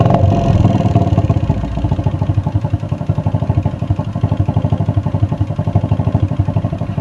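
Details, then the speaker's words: Honda Supra X 110cc (JN5) after rebuild with new parts: steady idle with a slight rough ticking about four times a second. It comes from the worn cylinder liner, which should be bored or replaced. "jadi masih ada sedikit suara kemelitik atau suara kasar di bagian mesin itu berasal dari puring tersebut dan itu seharusnya dibubut atau diganti"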